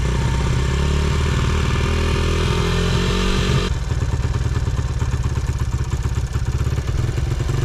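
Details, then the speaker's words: 2011 Honda CRF100 motorbike, carb not yet tuned: blipped hard then drops to a ragged uneven idle near stalling, needs throttle to stay running; poor idle, carb tuning suspected. "You're probably going to have to rev it a little bit to keep it alive. >> Okay. >> Until I tune this carb."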